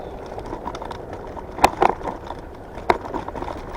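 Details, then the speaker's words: Evercross H5 scooter on rough trail: irregular plastic clacks as the loose plastic fender bounces against the frame, partly the light too; suspension not at fault. "See, that's not the suspension. When you hear that rattling, that's both the light I tightened, but it's the plastic fender hits up against the frame because it bounces."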